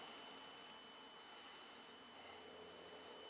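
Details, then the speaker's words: 2013 Ford Edge V6 with a battery-drain complaint, ignition off: a faint, steady high-pitched buzz from the throttle body, which stays awake with the PCM when it should be asleep. "But, and on Fords, it might take half an hour, 45 minutes, but I don't think the throttle body should be awake for, you know, doing an evap check"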